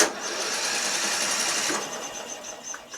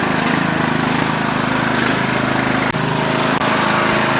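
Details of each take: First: Murray Select 12.5 HP 40-inch lawn tractor, in neutral, deck up, choked: light, fast, even starter whir with no compression pulses slowing it; engine spins freely with no compression, though key, solenoid and starter work. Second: Murray Select 12.5HP 40-inch lawn tractor with replacement engine from another mower: loud steady single-cylinder drone at even speed with no misses or knocks, running healthy.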